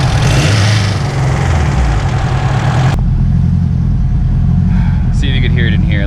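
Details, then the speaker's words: Turbocharged Honda S2000 with stock internals, idling then revving: a faint light rattle rides over the low exhaust note. Owner suspects the tensioner and plans to replace it; otherwise the cause is unknown. "Yeah, you can hear a little rattle. There we got 10 going up. So yeah, that's more or less the noise. Just a little rattle."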